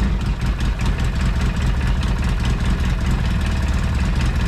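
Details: Polaris RZR 800 after rod bearing repair, first start after priming with coils unplugged: small petrol engine idles with a steady low chug and no bottom-end knocking.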